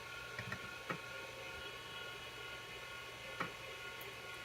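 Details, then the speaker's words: Amiga with an A590 hard drive of about 30 years, in the shell after booting from the hard drive. A few sharp, dry clicks over a quiet hum as the empty floppy drive (df0) looks for a disk. Normal disk-polling click. "See, this is click sound. That means it's looking for a disk."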